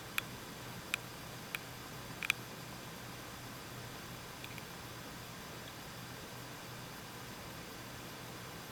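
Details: Corsair HX650 power supply: short high-pitched chirps, like a dolphin crying, from the fan as its speed spins up and down, over a low hum; the same fault on a second unit.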